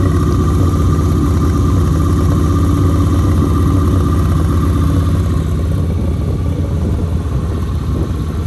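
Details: 1971 Honda 1300 Coupe 9S with an air-cooled 1300 engine, four carbs and dry sump, on its first start after 7 years. The ignition was cleaned, the carbs rebuilt and the fluids changed. It runs with a strong, even beat, no misses, and good oil pressure.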